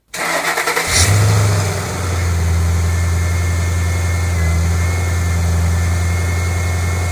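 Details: 2008 Ford Mustang GT convertible V8, pure cold start before an oil change on oil that was quite low; catches quickly, settles into a steady low rumble with a faint high whine, no knock or tick, healthy.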